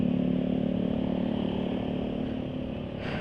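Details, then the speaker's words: Hot motorcycle engine at idle on Mesran SAE 40 with additive at 1500 km, before it was drained for Silkolene 20W50 (800 ml capacity): light, steady rattle riding on the exhaust note where it used to run smooth; owner suspects the additive has worn off. "Sebelum-sebelumnya dipakai itu tetap halus, tapi itu kok ada asak-asak."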